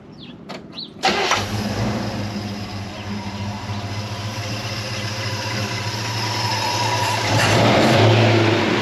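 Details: 1977 Chevy Nova Concours V8 after new oil, transmission fluid, plugs, wires, cap and rotor: starter catches quickly, picks up into a smooth steady run; healthy, though owner thinks the carburetor idle screw may need adjusting.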